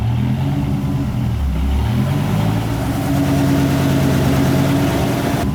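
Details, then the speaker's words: 2000 Dodge Viper GTS after a Tremec T56 rebuild for a clicking, rocks-inside noise: in fifth gear, a smooth, even hum with a steady gear whir and no grinding, knocking or whine, so the gearbox sounds healthy. "first gear tires are spinning second gear second gear works tired of spinning third gear third gear is working fourth gear"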